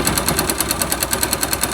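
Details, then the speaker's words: 2005 Yamaha YBR 125 found with oil below the dipstick mark, refilled, engine slightly warm, oil lubricating but black, lacking power: sharp even knock about nine per second at idle. Mechanic thinks it ran without oil, so the connecting rod knocks. "Acho deve ter rodado sem óleo né Aí começou a começou a canec né"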